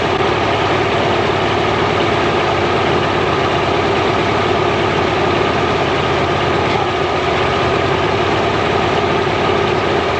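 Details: Mercury inline-6 outboard, timing marks missing, warming up in water: steady idle with slightly uneven beat; intermittent weak spark on #3 cylinder, suspected faulty ignition wire; coil later swapped.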